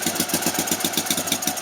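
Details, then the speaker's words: NSU Max single-cylinder motorcycle at first start, kick-started, fuel on, oil circuit checked, a little smoke from various places: steady, even thump about seven beats a second with no misses or knocks. It sounds right, a normal idle. "sådan lyder den altså. Den lyder rigtigt, ja."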